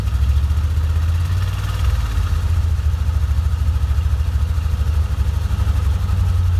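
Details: 1987 Corvette engine, flooded cylinders blown out and plugs refitted, deep uneven stumbling idle sounding rich, near stalling; dies off throttle and floods again, fuel in crankcase oil, thought to come past rings; oil to be drained, owner guesses maybe injectors.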